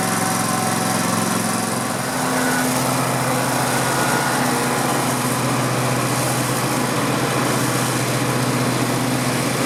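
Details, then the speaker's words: Grasshopper zero-turn mower, 16hp Vanguard V-twin, after no-spark ignition repair; smooth, even idle with steady hum, fogging oil in cylinders burning off; normal idle. "Boy, that's a smooth running engine. Like I said, I put fogging oil, and you saw me, in the cylinders. So that's what's burning off there."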